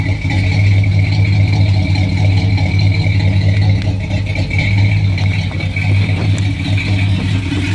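Warm V8 idle with a deep, uneven lope and loose rattles over the top, a steady misfire-type roughness, cause not pinned down.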